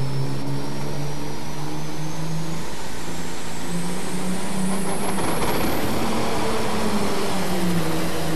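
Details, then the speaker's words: Tractor-pulling diesel at the 1997 National Farm Machinery Show, indoors under heavy pulling load: loud stumbling uneven beat with a shrill whistle climbing in pitch; engine misfiring, attributed to charger problems. "dump doesn't sound good at all but uh sounds like the engine is misfiring of some sort here let's see what happens though"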